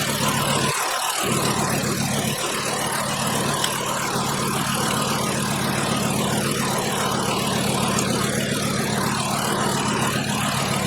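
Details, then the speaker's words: 2012 Volkswagen Jetta 2.5-liter five-cylinder with a constant misfire, at idle: uneven, loping beat; unplugging coils one at a time, this coil changes nothing, identifying it as the dead cylinder. "Disconnecting that, and it's not changing at all. I think this is our dead cylinder."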